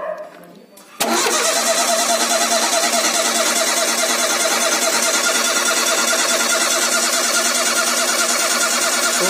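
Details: Ford Zetec Rocam engine (Fiesta/Ka/EcoSport) with a startup noise resembling the hydraulic tensioner: first start after cleaning dirt from an oil orifice. It catches at once and settles into an even, steady idle with no knocks or rattles; it starts and runs properly.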